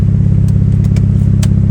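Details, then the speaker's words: 2003 Mitsubishi Lancer Evolution idling evenly at about 1000 rpm with no surge or dips, after a vacuum leak that caused idle surge and rough idle was fixed with hose clamps. It sounds healthy. "to be idling pretty good right now it's staying about a thousand RPM I might lower that a little bit closer to like 900."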